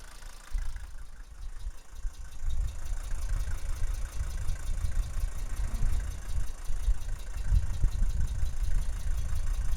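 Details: Mercedes W123 300D diesel at idle: low, uneven, irregular chuffing and puffs at the tailpipe, an abnormal exhaust noise of unknown cause.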